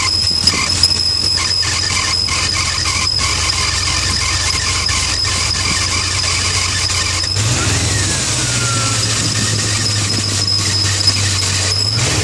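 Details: High steady squeal from a failing, likely original water pump bearing on a 1995 BMW E38 740i M60B40 at 281,000 km, heard at cold start and shifting as it settles to idle; occurs intermittently at start-up only, temporarily cured by tightening the belt.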